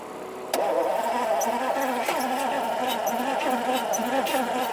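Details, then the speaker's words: 1971 Lamborghini Espada Series II V12 barn find, long stored, running on a non-standard fuel pump with leaking fuel lines: an even starter churn that never catches; it nearly fires but doesn't start, flooding a little. "it tried to stumble into life very nearly fired it did but because we're running on you know the non-standard fuel pump"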